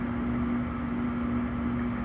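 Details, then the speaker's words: 2009 Trane gas furnace, inducer jumped and water cleared from the pressure switch: the blower motor comes on with a steady, even whir and no scraping. The tech concludes a new control board will fix it. "come on blower anytime now [Music] there it goes okay so obviously a board will fix this furnace"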